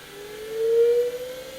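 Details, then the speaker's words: E-mu EMAX II HD sampler powering up: clean whirring tone rising slightly in pitch over about a second then holding as the internal hard disk spins up; normal, though very noisy, drive start-up. "So let's power it up. It's very noisy due to hard disk. You will hear it."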